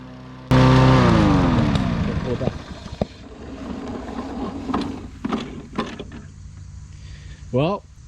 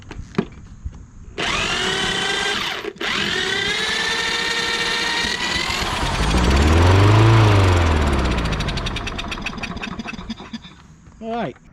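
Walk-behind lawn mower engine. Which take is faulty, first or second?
second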